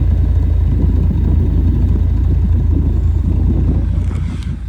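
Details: 1989 Ford Tempo coupe, heard at the tailpipe after replacing all spark plug wires and coil wire: steady low rumble, even pulses about four per second, no misses or pops, no longer shuddering; normal idle.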